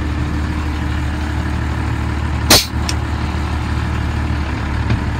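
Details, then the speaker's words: 1988 Ford F-800 crane truck, 7.8L diesel, 5-speed manual, 14,329 mi, warm after running over an hour: steady low diesel idle, then a sharp air hiss and clunk as the PTO engages; idle holds. "but I can hear that every single handle does something so the PTO is engaged and the crane is alive again"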